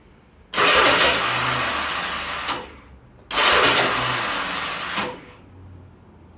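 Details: 1982 Yamaha XJ650 (4K0) with over 90,000 km; carbs cleaned, floats set wet and dry, spark on all four plugs. Two cranking bursts of about two seconds each spin the engine over but it never catches. It cranks but won't start.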